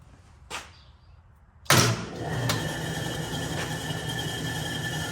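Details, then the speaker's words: 1967 Logan model 1875 lathe on a Phase-a-matic static single-to-three-phase converter at 240 V with a new plug. On the second start attempt with belts engaged, a click, then the motor reaches operating speed almost at once with a steady hum and faint even whine. Normal start and run. "You turn it on and it's pretty much up to operating speed."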